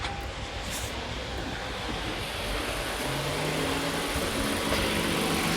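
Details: 2022 Toyota Avalon with multiple misfire complaint and engine warning light: idle has an uneven stumbling beat of roughly three to four pulses a second, scope testing of coils; engine misfire at idle, attributed to clogged injectors.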